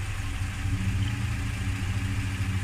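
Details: Toyota Land Cruiser / Lexus LX450 at idle: a dull, fairly even knock from the engine bay that goes away when the wheels are turned; owner suspects the power steering pump, unconfirmed.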